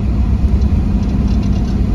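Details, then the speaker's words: 1997 Chevrolet Camaro RS, 3.8 L V6, under load uphill: deep drone with stumbling, sputtering dropouts, the whole car vibrating, and the check engine light coming on; a swapped coil moved the misfire to cylinder 3, confirming a failed ignition coil. "yep it is really sputn yeah the whole car's vibrating bad sputter there goes the check engine light"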